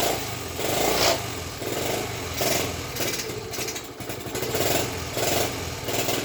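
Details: Rebuilt Honda ST50 on its first run attempt with no battery fitted: small single revs rise and fall back in surges about once a second and sound a little uneven. Uneven running, possibly a carburettor needing adjustment.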